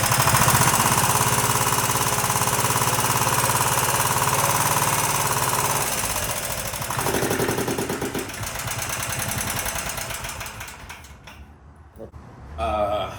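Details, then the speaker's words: Predator 420 engine, about a year old, which had backfired with a loud pop on cranking and wouldn't start: after a valve lash adjustment it runs with a hard, even rapping near 214 per minute that fades at shutdown. Owner suspects valves set too loose, unsure. "Normally it did, but I noticed like a really bad, I noticed a really bad knocking. And at first I'm like, okay, maybe I set them too loose, and I'll start it up so y'all can hear it."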